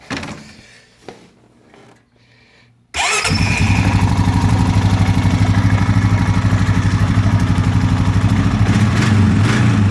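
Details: Honda Rancher TRX420FE after replacing a plugged fuel filter that had caused hesitation and cutting out on throttle: quiet fuel pump hum, then instant start and an even, steady idle with no stumbling; normal.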